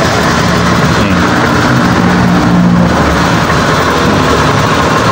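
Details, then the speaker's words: Honda Scoopy eSP scooter that stutters and won't pull when cold, with normal fuel pump pressure. It starts easily into a steady, even idle that sits slightly low. Still being diagnosed with a scanner. "stasioner juga lumayan normal walaupun agak kurang tinggi dikit"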